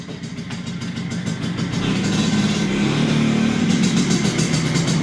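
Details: 1983 Vespa PX125E two-stroke, first start after total restoration with overhauled engine, new crankshaft, 177cc cylinder kit, new bearings and clutch discs: catches and settles to crisp, steady burble, picking up smoothly with throttle; normal running.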